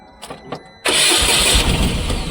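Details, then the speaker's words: Tata BS6 petrol engine after a relay swap and cleared DTCs: brief cranking clicks, then it catches with a loud rush and runs briefly before dying on its own; no DTCs, fuel pump not running. "ईंधन pump नहीं चल रहा है। इसे बंद कर दें। यह नहीं चला।"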